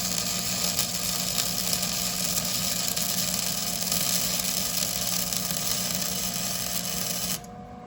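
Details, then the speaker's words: Flux core welder, trigger held continuously while pulling a straight bead: even continuous frying crackle for about seven seconds, then stops cleanly; stable arc laying a good weld. "So I'm gonna pull and hold this trigger the whole time as I'm doing this, okay?"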